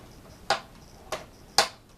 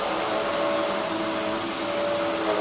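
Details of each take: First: if you don't quite press the knob properly you hear that clicking noise and if that's clicking it means you're not pressing it hard enough and if you keep on doing that it'll eventually wear away at the mechanism Second: Hoover upright vacuum (model since 1997) switched on: the soft-start motor builds speed gradually into an even high-pitched rush at full speed, with no rattles or surging; running normally.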